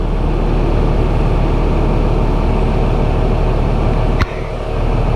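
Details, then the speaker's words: Stone-cold 12-valve Cummins in a service truck, just after a cam and front cover job: a deep, steady diesel clatter at an even idle with no misses or knocks. It smokes a little; owner suspects slightly weak nozzles. Running healthy. "Boy, she sure sounds good though. Pretty proud of her, guys."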